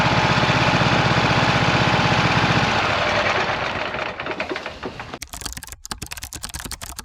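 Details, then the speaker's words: 26 HP Kohler V-twin lawn tractor under load. It runs uneven and lumpy at about four firing pulses a second, then fades, running on one cylinder. Rich black exhaust smelling of unburned gas after two years of intermittent misfires. Ignition coil suspected. "so I've had an intermittent problem with this tractor where it starts missing and it seems like it's running on just one cylinder and that's what I demonstrated when I was driving it up here it was running on one cylinder"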